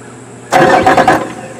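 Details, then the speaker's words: 2008 Yamaha outboard, low hours: a short burst of clicking when the key is turned, then quiet, engine never cranks; the known "Yamaha click", owner suspects the starter relay. "What y'all just heard was the infamous uh starter click. Uh some people call it the Yamaha click."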